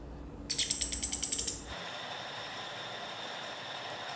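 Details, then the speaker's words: Car windscreen wiper linkage pivot joint turned by hand makes dry, ratchety clicks and creaks. The joint is stiff and won't rotate freely and needs opening, cleaning and greasing. After cleaning and refitting it was silent. "इसको मैं कितना भी घुमाने की कोशिश करूं यह घुम नहीं रहा है मोटर पर जबरदस्ती उनका है लेकिन आपसे बिल्कुल भी नहीं उनका घुमाने पर आवाज कर रहा है"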